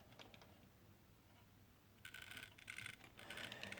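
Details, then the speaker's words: Dongmingtau drone propeller gearmotor turned by hand: dry, irregular crinkling and ticking instead of smooth spin, very hard-geared versus the other soft-turning motors; stiff gearmotor binding, cause unconfirmed. "It's not as free as this motor should be. You can hear the different sounds here compared to this guy. It's a weird sound coming off of that, like some kind of a crinkling sound."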